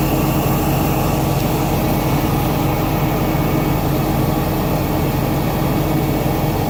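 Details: BMW E39 540i with M62TU B44 V8 running: loud engine with a thin, steady high squeal on top throughout; belt or pulley squeal.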